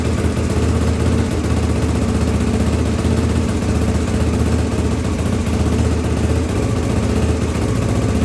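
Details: 1983 Honda XL600R first start after top-end rebuild (1mm overbore, Wiseco 11:1 piston, Megacycle stage one cam, heavy-duty springs, rebuilt carbs): steady even single-cylinder thump at fast idle, no misses, knocks or clatter; normal running.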